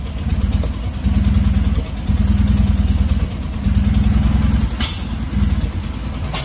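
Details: Fiat 126p after compression raised from 0 to about 100 psi and a later valve adjustment, reportedly running on two cylinders, head gasket suspected: small engine runs lumpy, surging and sagging every second; rough running.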